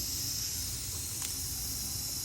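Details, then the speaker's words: BMW N54 single-turbo boost leak test with engine off, soapy water on the connections; steady high airy hiss from the tester fitting: boost leak at tester fitting. "It did leak at this tester as well, so that can throw you off a little bit if you're not paying attention."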